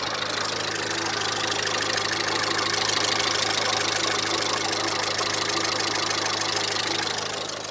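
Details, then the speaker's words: Idle after repair on a 1998 Honda Civic EX with D16Y8 VTEC engine, after replacing the coolant temperature sensor that caused hard starting; steady, even idle with light valvetrain tick, no misses, now running smoothly. "I'm going to check show you the location of the of the sensor and that we replaced it and it seems to be working now check this out"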